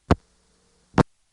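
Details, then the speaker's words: ITT Pentaconta crossbar telephone switch, Asheboro NC, 1977: two sharp clicks on a quiet line, a fast double tick from line polarity reversal; normal answer supervision. "crossbar five has a variant on that sound ticka clunk versus car clunk but the panna cotta as far as we know always just goes tick a clunk in its own way"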